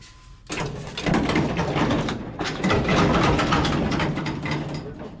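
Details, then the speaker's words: Dodge Super Bee being built into an autocross racer: the hand-turned axle with the differential pumpkin removed gives a rough, gritty ratcheting churn with uneven clicks; gears and bearings are worn out and all need replacing. "yeah that's the sounds of garbage right there"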